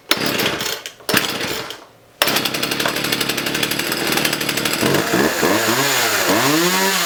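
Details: Partner 351 two-stroke chainsaw started from cold after a carburettor kit and new spark plug: it catches after a couple of pulls, settles into a steady two-stroke buzz, then revs cleanly up and down, so the saw is healthy.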